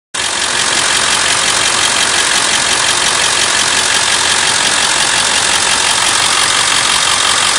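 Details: Ford 7.3 Powerstroke diesel at idle: loud clatter with a fast, fairly regular light ticking riding over it; engine ticking, cause not pinned down.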